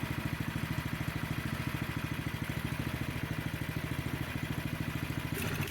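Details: Snowblower small engine, previously surging, after cleaning the carburetor pilot jet, throttle moved to idle: steady even low putter with no hunting up and down; idling smoothly.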